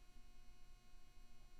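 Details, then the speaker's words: Steady low electrical buzz with faint hiss from a microphone plugged into an old UMC202/UMC22 USB audio interface; mains-type buzz in the recording chain. "can you hear that buzzing noise now where it's coming from should have been obvious"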